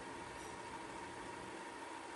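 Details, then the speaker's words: Magnavox DV220MW9 VCR/DVD combo in extended fast forward: a soft, steady whir with no speed change. This unit goes fast from the start and doesn't shift gears to get faster; normal tape transport. "Sometimes some units they after a while it just it it changes gears again gets faster not on this one this one doesn't do that so this kind of goes fast out of the out of the bat"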